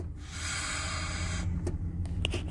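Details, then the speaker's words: Engine idling with no stored codes, customer complaining that the brakes are hard to engage: pressing the brake pedal gives a loud airy hiss over the idle for about 1.5 seconds, suspected vacuum leak at the brake booster. "Ok, en este momento ya he encendido este motor y pues ya tengo ahí pisado el freno, pero escuchen ese ruido."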